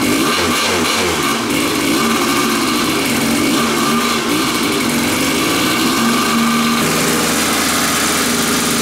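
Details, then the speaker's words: Kawasaki two-stroke dirt bike on new genuine Keihin PWK Air Striker carburetor, unadjusted out of the box: crisp ring, picks up cleanly on throttle, no bogging or lean note; runs better than Chinese replica carbs. "that carburetor straight out of the box I can tell it runs better than the China specials maybe the child special can be tuned but it just felt crisper it didn't run as lean and I haven't even messed with it yet"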